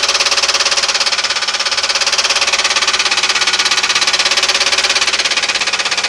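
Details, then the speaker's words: 1996 Ford Crown Victoria, 170,000 miles: sharp regular knock about three to four times a second at idle, loudest at bell housing; timing and valves checked fine, owner 99.9% sure of cracked flex plate. "Had a racket. Been trying to figure out what it was. What it is is a flex plate that's cracked. I'm 99.9% sure."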